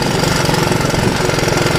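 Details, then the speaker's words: Honda ATC185 three-wheeler, about 35 years old, auto clutch, new right-angle air filter, test ride: rapid even single-cylinder firing pulses under load, no knocks or misses; quick for a 185. Normal running under load. "so she runs up through the gears pretty good um which is nice shifts really nice um she's actually pretty very quick for 185"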